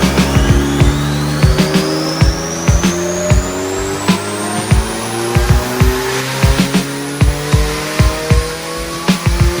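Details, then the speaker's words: Twin-turbo D16 Honda Civic on the dyno making just under 200 hp, well below its street feel. One wastegate opens and the second vents much later, causing uneven repeated puffs under rising load. Charge-pipe leak suspected; cause unconfirmed, plan to boost-control the top gate. "One wastegate opens, and then you can hear another one after it. Way later. So it's like when the second gate opens, we're getting dumped on."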